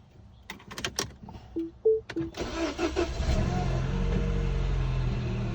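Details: Mini Cooper R56 N12 engine cold start: clicks and dash chimes, then fast cold idle with hollow knock of piston slap.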